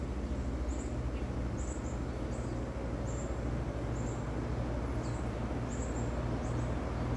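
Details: Vintage Westinghouse 20-inch reversible box fan switched to low from the other side, slowly coasting up because of its heavy blades and big hub: a smooth, even whoosh and low hum with no ticking or rubbing; it runs normally.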